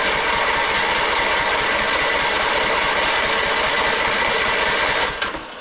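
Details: Husqvarna LT4200 mower with MTD Powermore engine run very low on oil, popping out the intake: starter churns at about four beats per second without catching; compression loss, checked by leakdown test.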